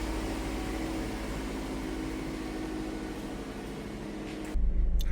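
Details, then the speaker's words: Toyota MR2 idling smooth, quiet and even with no knocking or shaking after replacing the right-hand (passenger) engine mount. "right, look at this. Not no vibrations. So quiet compared to what it was before."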